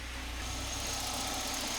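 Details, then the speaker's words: Volvo 945 barn find, first start after sitting since 2017, not cranked for 7 years: soft, even idle with a low steady hum and no knocks or rattles; very quiet and healthy. "wow that is quiet"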